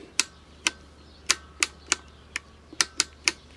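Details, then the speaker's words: Sony TFM1000 AM/FM/SW vintage transistor radio after the seized band selector was soaked in penetrating oil, cleaned and greased: crisp, clean single clicks with no grating between them; freely working selector. "so we have a very nice working selector"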